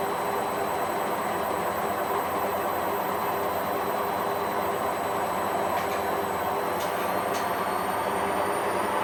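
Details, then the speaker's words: Hotpoint WMA40 washing machine on a 60 wash, rinse and spin test: rough steady roar under motor whine rising with drum speed, worn drum bearings audible even before fast spin, but still handling it. "you can definitely hear the bearings but it's handling it okay"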